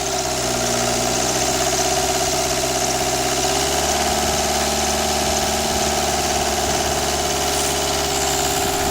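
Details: Renault Express diesel engine test after head gasket and timing replacement: steady, even diesel clatter at idle with no knocking, misses or hunting, no abnormal noise, only a small leak noted; healthy idle.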